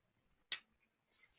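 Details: 8-pin glass relay in a push-button hold (latching) circuit, powered with phase and neutral: one sharp clean click as the relay pulls in, then quiet; latching normally.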